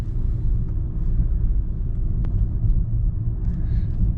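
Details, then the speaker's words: 2004 BMW 325xi, test drive after replacing ignition coils to fix a misfire: steady low rumble under way with no stumble, surge or jerking, no check engine light; engine runs smooth and normal. "no more check engine light it's running nice and smooth that runs a whole lot smoother now"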